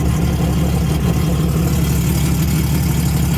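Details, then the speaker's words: Sea-Doo XP X4 with swapped-in Spark ACE 900 four-stroke, first run on Yamaha flush adapter testing open-loop cooling, water appears to flow backwards, low fuel; deep, steady, even rumble without knocks or surging; normal idle. "I am going to monitor it to make sure everything's alright, but it looks like we got water coming out and it's doing kind of what it's supposed to do, even though it's got low fuel."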